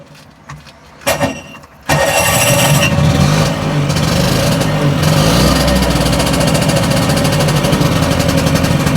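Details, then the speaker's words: Two-stroke tuk-tuk after replacing the burnt starter relay with one from an Audi and reattaching a vacuum pipe to the carb: catches at once and settles into a steady, slightly uneven buzzing run; now starting reliably, carb may need tickover adjustment. "Right, well that's starting reliably now anyway."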